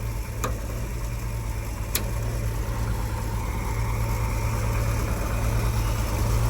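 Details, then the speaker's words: 1976 Ford F-150 V8, started on jumper cables after sitting a couple of months, not yet warmed up: steady, deep, even rumble with no misses or knocks; healthy cold idle. "yeah I'll give it a second to warm up and take it down to the shop"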